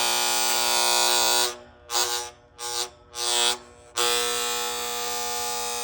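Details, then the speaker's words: AC outdoor condenser unit with a cheap plastic contactor whose coil was not distributing power well. A loud, harsh electrical buzz cuts out choppily and returns; contactor coil buzz, fixed by replacing the contactor. "They're basically the same kind of cheap plastic one and that buzzing was from the this coil. You see the copper there. And it wasn't distributing the power well enough, so we get a lot of these, we know that just just fail."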